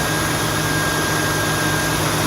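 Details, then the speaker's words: 2002 Mustang GT after replacing radiator cooling fan assembly that had a broken blade: steady, even rushing air with no rattle, slap or scrape; fan spins smoothly, earlier loud noise gone. "so we're good i mean it's not the quietest engine in the world but um that noise was really scary"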